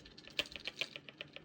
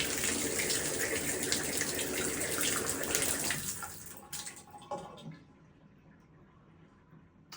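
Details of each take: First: Delta shower pressure-balance valve behind a bathroom wall, before cartridge replacement: fast, even knocking in the supply pipes, about seven light knocks a second, like a motor running. It stops when a feed valve is shut. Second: Delta shower after replacing the pressure valve cartridge to cure knocking pipes: steady even rush of water with no knocking or banging, then flow dies away quietly.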